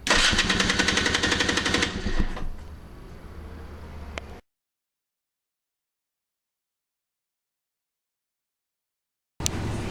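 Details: KTM two-stroke dirt bike on a cold day, with all the starter mods done: quick, even starter cranking for about two seconds, then the engine catches and idles; clean engagement with no grinding.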